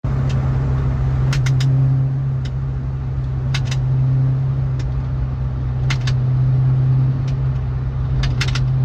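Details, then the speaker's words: Car recorded with rear seats out: irregular sharp rear clicking over driving drone, only over bumps and under torque; cause found to be blown-out top bushing of the differential mount. "And it really only happened on bumps. And when I would apply torque to the car, when the car would torque itself, it would click."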